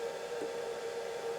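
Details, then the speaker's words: Myford Super 7 lathe inverter drive in a new external control box, just powered up: steady even high hum, no buzzing or crackle; normal power-up, ready to run. "there we go it takes a second for the inverter to realize it's powered and come on [Music] there it goes it's now ready to run"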